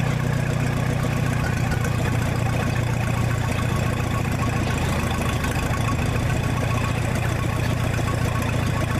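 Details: 1966 U302 Super idling under its own power after earlier rebuild issues were corrected: a loud, deep, even idle with a steady low beat and no knocks or stumbles, louder without a muffler but healthy.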